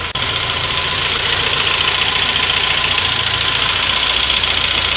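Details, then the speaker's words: 1992 Saab 900 Turbo after sitting many years, first start, no oil pressure gauge: light fast metallic clatter over steady idle, two to three ticks a second; engine clatter at idle, cause not pinned down. "all right a little bit of clatter and keep an eye on that"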